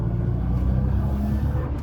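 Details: Rebuilt Nissan GT-R (previously had a fuel leak) under acceleration: deep, smooth exhaust note pulling evenly with no misses, knocks or rattles; normal, strong and healthy engine.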